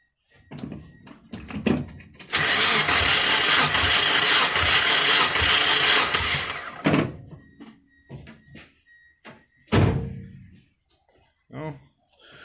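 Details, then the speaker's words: 1997 Mazda Miata during head gasket replacement: uneven, lopsided cranking beat during compression test, two of four cylinders making compression (the middle ones not), about 117; suspected blown head gasket. "just actually got two cylinders that are working two out of four so it's about 117 also cool so one in four is producing compression the mid cylinders are the ones that are broken"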